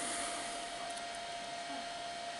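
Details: Amiga 2000 power supply with fan fitted (first spun wrong way round, later corrected): smooth even airy whoosh with steady faint tone, no ticking or rubbing; fan running normally.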